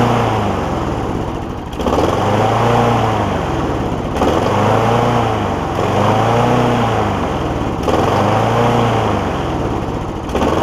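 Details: John Deere JA60 push mower's first run after freeing a stuck valve, with the carburettor still to be sorted: the single fires and surges unevenly about four times a second, speed hunting. It runs only briefly, fuel-starved.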